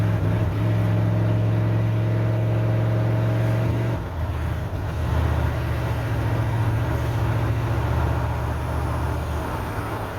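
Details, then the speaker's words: 1988 OBS truck, warmed up, after new ignition module, cap and rotor: uneven, lumpy idle with an irregular stumble three to four times a second. The misfire persists and is later traced to the rotor seized to the distributor cap. "Hoping as it warmed up it would clear up a little bit, but it sounds just as unhappy as it normally does. So taking it that none of that was actually our issue, we got something else going on, so we're going to have to dig into it a little bit deeper here."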